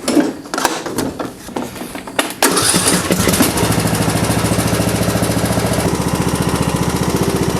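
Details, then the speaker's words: John Deere D110 mower that would not start, during tune-up: a few starter grinds after cranking to let gasoline fill the fuel filter, then it catches and settles into a steady even chug of about three beats a second; normal start and idle. "There we go. I was just waiting for the gasoline to fill up inside that fuel filter."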